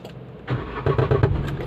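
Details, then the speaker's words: Renault Kwid on start-up: short burst of dull thumps from underneath as the engine catches, recurring every start; exhaust silencer knocking against the body. "वो काफी आवाज ए रही है की किस चीज का आवाज है"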